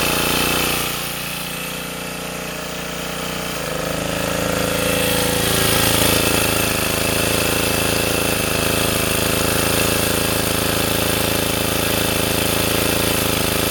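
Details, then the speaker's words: Sportsman 2000 W generator after tuning, with a spring added to the governor to damp overreaction, holding a steady, even drone under a 750–1500 W space-heater load with no surging or cycling. "I can put this heater up to I don't know what's low 750 WTS 1500 WTS and I don't get that cycling anymore"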